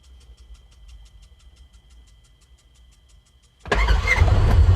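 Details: 2016 Polaris Ranger 900XP with a crank-no-start history, after throttle body cleaning, fresh spark plugs and fresh fuel: soft priming ticks, then it fires right away into a strong, even idle. Normal start.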